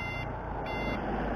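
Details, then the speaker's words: Motorcycle with BHT alarm installed about two years, turn-signal sound feature on: steady, repeating electronic beep like a vehicle reversing while the indicator is on; normal turn-signal alarm beeping. "kita kalau pakai lampu sen itu bisa nyala coy biasanya kan nggak ada nggak ada bunyinya ya Tapi kalau pakai alarm ini itu ada bunyinya Contohnya seperti ini"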